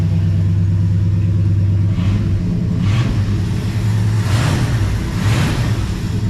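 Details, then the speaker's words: 1972 Ford F-100 Sport Custom with glass pack exhaust, high idle kicked down: deep even exhaust rumble with smooth throttle blips, running super smooth, exhaust tick now gone; engine sounds healthy. "it's just running super smooth and no exhaust tick anymore [Music] sounding really good"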